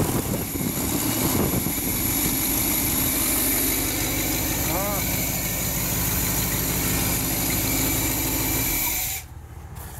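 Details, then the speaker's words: Small-block Chevy V8 after first start: steady, even idle with no misses or knocking over a rough exhaust rumble (an exhaust flake noted); no longer smoking, engine running healthy. "got the diesel shut off got uh not tightened up sounds really good got an exhaust flake i'm not smoking anymore"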